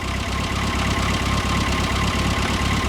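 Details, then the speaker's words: 1973 MG Midget small four-cylinder, first start after over 21 years off the road, about 50,863 miles on odometer; even steady low putter at idle with no knocks or misses; normal idle. "Just let it idle. We're just going to let it idle for a while. Don't grab Mark. Some kinks to work out, but it runs and it idles like it's brand new."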